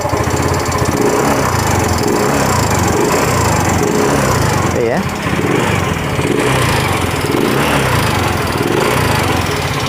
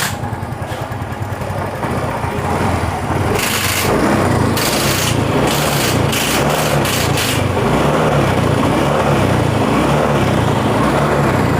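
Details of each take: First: Yamaha Mio M3 125 scooter idling with the CVT removed: steady rapid ticking knock from the front of the engine. It once ran out of oil and now burns oil fast; the worn, oval bore lets the piston slap. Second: Yamaha Mio M3 125 scooter after repair: previously ran out of oil, causing worn bore, loose piston and front-engine knocking; new piston fitted, now runs smoothly with quick throttle blips and no knock.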